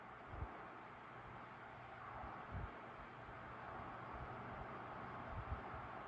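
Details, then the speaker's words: 1970s Mastercraft (Lasko) 12-inch oscillating fan, model CTC 120, 3-speed PSC motor, 120V 0.37A, on low speed: soft even airy whoosh, faint low hum, no ticks, rattles or wobble; quiet, smooth, normal. "quiet and smooth on low. Nice calm breeze, perfect for those summer night kind of views in the bedroom."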